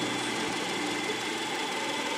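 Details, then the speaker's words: Subaru Forester boxer engine after cleaning both sticking VVT valves: smooth, even, steady idle with no stumble; misfire and combustion fault codes gone, acceleration optimal. "aquí ya se reparó la falla ya se limpió esas válvulas bbt las dos válvulas bbt y el motor prácticamente eh desapareció la falla desapareció todos esos códigos de mala combustión y el mínimo se puso como debe ser no el motor estable con una aceleración óptima"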